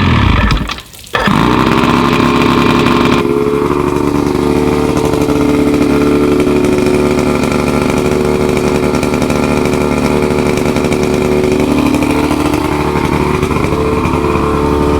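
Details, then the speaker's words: Roughly 50-year-old OMC 50 two-stroke outboard, run on ear muffs after 5+ years of storage, warm-up lever down, not pumping water: catches, then holds a fast, steady, buzzy idle that never settles. High idle. "That's with the warm-up lever down. She idles a bit up, but let's see if she actually pumps water."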